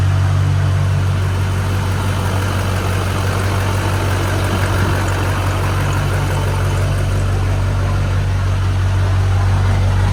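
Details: Duramax LB7 diesel frame-off build with S300 turbo, new tune, LBZ-based 10mm CP3 and 65-over injectors, just started: steady even low diesel rumble at idle, no knocks or misses. Normal idle.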